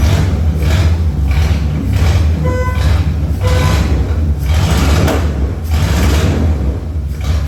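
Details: Tribute Camaro after a new fuel tank, fuel pump and sending unit, running on its own: deep, steady rumble with an even beat and no misses or mechanical noise. Normal idle.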